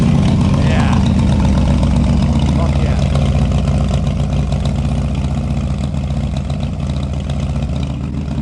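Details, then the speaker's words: 2007 Harley-Davidson Screamin' Eagle CVO Dyna FXDSE 110 ci, first start after rebuild with high-compression pistons, new cams: loud lumpy regular V-twin idle, no knocks; runs cleanly, final tuning still to do. "Not done yet. We got to do all that final tuning and everything I talked to you about, but then we'll have her perfect. God, that sounds good."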